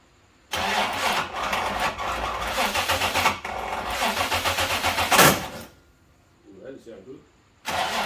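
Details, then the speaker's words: Holden Commodore VNSS, first start after rewiring and fixing a missing earth following a bad workshop job: starter churns unevenly about four beats a second, engine catches raggedly and dies; distributor cap was just sitting on, unclipped. "That does not sound good. Check the timing. I might have put a plug on wrong. Well, it wasn't as bad as I thought it was. I um forgot to put the cap on at all. It was just sitting on there."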